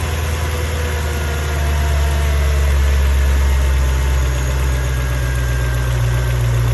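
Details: Mercedes E55 with stage 1 remap and full engine rebuild, cold start: once revs drop, idle won't settle, uneven lumpy beat about four a second like a misfire, no codes; plugs, coil packs, leads recently changed; cause unknown.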